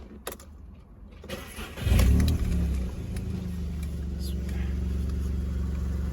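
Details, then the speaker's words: VW Polo 6R 1.2 three-cylinder, first cold start after coil pack replacement and oil top-up during a service: catches within a second, steady low idle with slight cold three-cylinder shake considered normal; normal cold start and idle. "I mean, obviously the engine's still cold, so it's normal for a 3-cylinder to shake like this, but once it's warmed up, I'm sure it'll"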